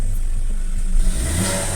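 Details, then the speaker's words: Chevrolet Onix/Prisma automatic, about 75,000 km, with knocking/pre-ignition on gasoline, ethanol reading reset to 20%: idle settles smoothly, brief rev rises and falls cleanly with no pinging or rattle; normal revving. "Já caiu a lenta, já ficou redondinho na onde que eu quero, certo, ó. Olha lá, porcentagem de álcool 20%, que seria o correto do combustível, certo? Vamos acelerar aqui para ver."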